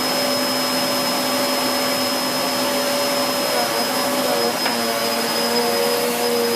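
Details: 2013 Hoover Whirlwind Pet WHS2102 001 2100W bagless upright pushed over carpet, belt refitted: smooth constant motor drone with a bright whistle on top, pitch barely shifting. Noisy because the brush roll is aggressive; healthy, normal running.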